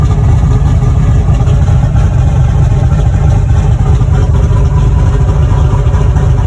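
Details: Boosted V8 black truck, freshly rebuilt after a head gasket blew at 11 psi boost. Deep, loud, steady idle burble, even and unbroken with no knocks or ticks; the fresh engine runs healthy.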